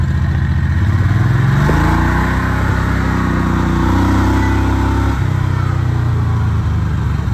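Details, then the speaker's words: Predator 670 22 HP V-twin in an EZGO Workhorse golf cart, warm, read on a tachometer: picks up, then holds a fast, steady drone around 1800 rpm, too high (target 1100–1200), making gear shifts hard; carburetor idle then adjusted. "let's turn the key on does full cycle idling around 1800 degrees or sorry 1800 rpms on the last 10 degrees it's a little on the high side but it is working"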